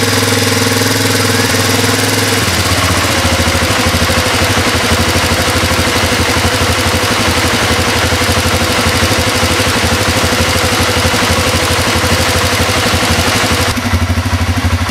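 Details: Honda Transalp twin idling steadily with a loose, uneven tapping over the exhaust beat; abnormal engine noise at idle, cause unclear.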